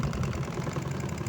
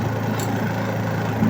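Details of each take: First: Astro spin dryer after repair, rear cover still off to listen for more hum. Now a steady, even low hum with no rattle, knock or rubbing as the drum spins, running normally. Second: Astro spin dryer running with a load of clothes, recorded from underneath with the back cover off. A low hum turns into an uneven rattling scrape from a loose spring spinning under the dryer's foot.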